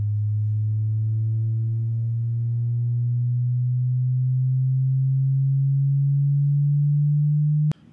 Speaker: so that speaker has a pretty good range